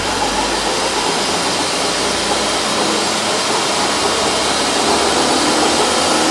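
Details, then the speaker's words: Car on a lift in gear, revved, after adding metal filings to the worn differential oil: steady whirring hum, slightly quieter and softer than before but still present; worn differential hum. "Хотя гул всё равно остался"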